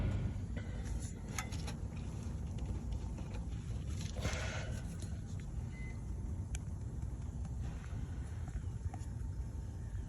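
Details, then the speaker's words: International Prostar Maxxforce diesel with retrofit fan belt, idling: heavy low rumble with occasional short squeaky chirps and belt squeal from a loose idler pulley, belt lip visibly shifting. "i could hear this tweaking squealing noise and then the belt was kind of like kinda you could see the lip"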